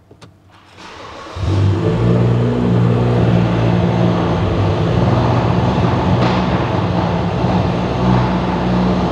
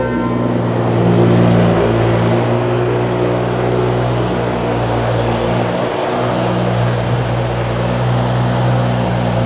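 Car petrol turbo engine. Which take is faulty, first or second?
first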